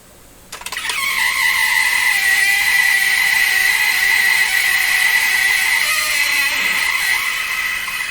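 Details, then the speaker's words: Bang & Olufsen Beocorder 2000 De Luxe video recorder, transport starting in play: a steady high-pitched whine over a loud rushing buzz, heavy mechanical vibration through the machine; the source is unidentified and could be any of several parts. "that is putting such a vibration into all this yikes"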